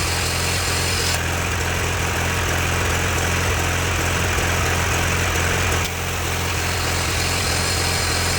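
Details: John Deere 318 garden tractor, revived from non-running: engine holds a steady, even drone as the front PTO engages with only a small shift in tone, running clean and smooth under load. Normal running.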